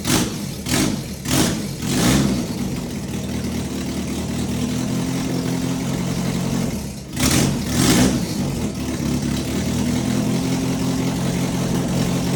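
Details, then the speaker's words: Fully built B18 non-VTEC AWD Honda Integra, first start: catches with a few uneven blips, holds a rough fast run, then needs throttle again. Runs good but won't idle because the idle control valve is unplugged. "I didn't have the idle I didn't have the idle control valve plugged in cuz it was actually running good. It just didn't want to idle."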